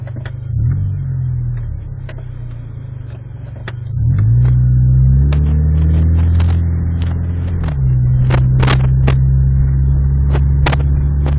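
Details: Ej1 pulling through town under acceleration: engine note climbs, then stumbles and jerks mid-clip with stray snaps, an uneven pull suggesting a misfire.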